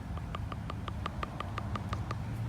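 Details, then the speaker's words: Idle air control valve check valve removed from a sedan on stock ECU, shaken by hand next to the mic; faint light clicking about six times a second as the internal ball rattles, meaning the valve is free and working correctly. "if you hear that faint rattling that's the valve actually operating correctly"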